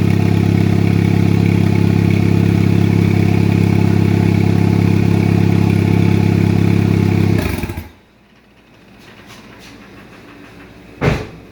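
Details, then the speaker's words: 2004 Chevy Cavalier 2.2L Ecotec I4 with 57mm turbo, first start after two years on two-year-old fuel, no intake/exhaust sensors fitted: loud, raw, evenly pulsing idle because the wide-open wastegate bypasses the turbo. "the wastegate's wide open right now. So a majority of the exhaust, instead of going to the turbo and getting muffled, it's just bypassing it and coming straight out the exhaust."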